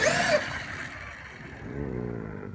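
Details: Traxxas XMaxx RC truck just after repairs including bearing replacement: a short loud burst, then a rising whirring whine as it pulls away. Odd drivetrain noise of unknown origin.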